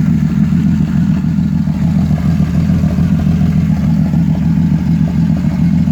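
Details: 1989 Ford Falcon EA, port injected, with distributor and coil pack, misfiring and only running while the key holds the starter cranking, dying on release; owner suspects the coil pack: an uneven, stumbling beat with irregular clattery pulses.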